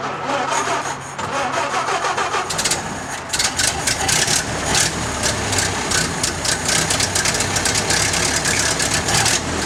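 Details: Model A Ford stored in an Ohio barn over 30 years, not yet timed, cranked on a 12-volt boost: catches and settles into a loose, uneven clattering run that sounds rough; owner suspects timing is off.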